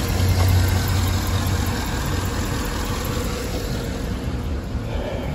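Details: 2012 Cadillac Escalade 6.2L V8 low, uneven idle with a soft stumble three to four times a second; cylinder 7 misfire from lifters stuck off, no compression there, per TSB PIP4568S covering cylinders 1, 4, 6, 7.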